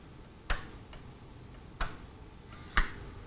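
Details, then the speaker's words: Panasonic Radar Matic automatic-tuning receiver under test near 282 microvolts signal: three sharp, dry clicks about a second apart over a quiet hum as the tuning stop relay releases, showing the relay works normally. "it released that so it is working so I'll turn this down again I locked in the relay"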